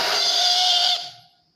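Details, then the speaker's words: Taiff 2100W titanium hair dryer blowing strong air but making a loud, steady high-pitched scream that fades after switch-off; motor found stiff, not moving up or down, with hair inside; dry, hair-clogged motor bearings needing cleaning and lubrication. "o problema dele é esse ele tá funcionando saindo um vento forte só que ele fica fazendo um barulhão"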